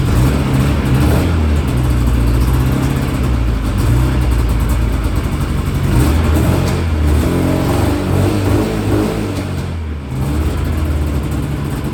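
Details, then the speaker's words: Polaris IQR600 race sled two-stroke on the stock exhaust can, not the Jaws can, run briefly because it leaks antifreeze: loud raspy note rising and falling with throttle, firing clean and even with no misses; sounds healthy. "Now it doesn't have the Jaws can on it right now, unfortunately, but got the stock can, but it still doesn't sound bad."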